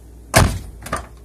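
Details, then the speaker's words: 2005 Toyota Sienna door after replacing door check assembly (Dorman 924-147): one solid thud and light latch click, no popping or rattle; door closes normally. "completely sound free no more popping sound"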